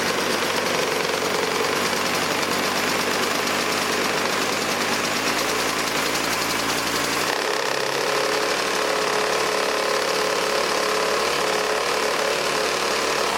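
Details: Old 1980s Toro S-200/S-620 snowblower two-stroke engine on choke, after a locking nut was fitted on the recoil side to stiffen the motor. Steady, even buzz with a slight shift partway through; no knocking or misfire, running clean.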